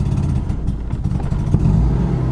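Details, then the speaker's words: Mazda FD RX-7 rotary, street-ported, rebuilt 30k ago, parallel turbos, started on new battery after sitting 6 months: cold, low uneven burble surging and dipping, hard time keeping idle; owner suspects dead ECU, cause unconfirmed. "okay so it's got hard time keeping idle right now"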